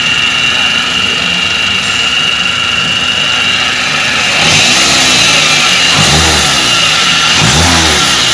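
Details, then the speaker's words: Toyota Avanza with a harsh whine under acceleration: a steady high whine over the petrol engine grows as it is revved. Loudest at the upper idler pulley bearing, which was replaced. "desingan terdengar dari judul bearing atas yang paling kencang"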